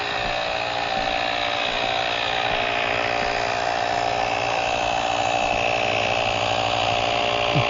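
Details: GrePro 1533 portable USB-C tire inflator set to auto-stop at 40 psi, inflating a slow-leaking tire from 28.4 psi: steady motor buzz with fast even piston chatter; normal running.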